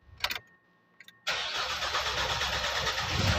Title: 2016 NISSAN NAVARA/P0340 CMP Sensor Circuit Bank 1/Hard Starting/Cause & Remedy(Part 1)